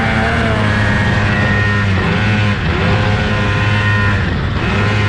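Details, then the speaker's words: 2003 Polaris Indy 600 snowmobile bogging at full throttle: flat, low drone that never climbs in revs, only about 30 mph pinned; happens only sometimes, owner suspects engine timing. "you can hear the bogging that I was talking about um yeah I had it pinned and it was only doing like 30 mph so not really sure why it does that"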